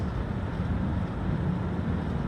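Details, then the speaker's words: Home AC system with a not-cooling complaint, thermostat flashing cool, blower running and outdoor condenser fan motor on: steady, even low rumble with no rattles, squeals or cycling. Vent temperature is already dropping, so it is running normally. "My blower is running. See here it is flashing cool. Right now my condenser fan motor is on."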